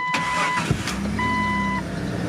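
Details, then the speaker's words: Barn-found Jeep XJ (Cherokee), about 61,640 on the odometer, which had a seized alternator and thrown belt: quick crank, then the engine catches and settles into an even idle with no knock or tick, sounding tight and healthy. "that motor sounds tight"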